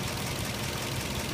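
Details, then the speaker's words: Nissan 240SX petrol idling around 600 rpm: steady loud hiss as spray hits a vacuum leak at a metal fitting by the intake manifold. "Okay, so I found a vacuum leak. See what car is doing. Rattling about 600."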